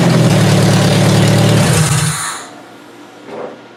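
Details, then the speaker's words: Toyota Solara engine, coil packs that were damp and arcing after a cold, wet demolition derby, washer fluid poured on: catches with uneven low thumping, about four beats a second, then dies within two seconds; stumbling start from arcing coil packs. "Well, unfortunately, I can't really replicate what would happen, but you heard it when it fired up that it kind of stumbled a bit. So, I seriously think this was the issue. You could actually see the coil packs arcing out."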